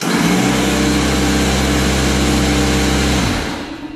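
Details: Craftsman portable 110 V air compressor filling its tank: loud, steady constant-pitch motor hum, then it winds down and stops; normal running.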